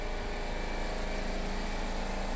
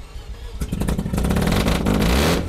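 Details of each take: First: Mazda RX-7 FC after its rusty fuel tank was cleaned and reconditioned, with fuel smell and battery charge in doubt: even, steady cranking that never catches. Crank no start; fuel lines were suspected reversed and then swapped. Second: Mazda FC RX-7 rotary, after fuel tank rust reconditioning. A loud, raspy exhaust climbs and falls cleanly through repeated blips with no misses or knocks: healthy revving, just very loud.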